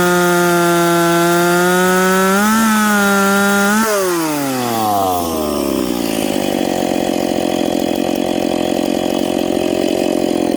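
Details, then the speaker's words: McCulloch Pro Mac 850 chainsaw with an expansion pipe, cutting two-year-seasoned hard oak at 10,300 rpm in the cut. High steady scream wavers, then pitch drops smoothly as the chain bites and holds a strong note. Normal cutting under load. "that cut there uh 10-3 so this thing's pulling 10-3 in the cut that's fast for an old saw"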